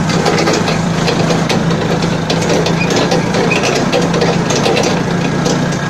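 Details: Balkancar forklift diesel after repair (engine, clutch, brakes and running gear rebuilt), glow-plug preheat fitted, hour meter not working: steady, even diesel clatter with a constant low note, no knocks or misses; engine runs smooth and healthy.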